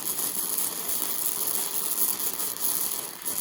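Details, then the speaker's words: Harbor Freight Titanium Flux 125 flux-core welder: harsh, uneven crackle and hiss from the arc with no steady frying rhythm, an erratic weld. "oh that sounds that seemed terrible it didn't even sound good"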